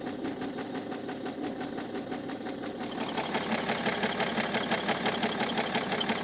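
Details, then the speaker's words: Cheap used BMW 7 Series diesel at idle, glow plug and EGR faults cleared: sharp regular knock about three per second, growing louder; owner suspects a bearing issue. "kind of sounds like we have a bearing issue"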